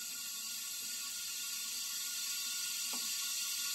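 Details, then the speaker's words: Kohler CV25S V-twin on an older Ferris mower, leak-down test with the piston at TDC and both valves closed: steady, high, airy hiss of air escaping back through the carburetor, about 10 percent cylinder leakage at 100 psi. Intake valve leak. "don't know if you guys can hear that but we already have quite a bit of leak coming through so I'm going to take it up to 100"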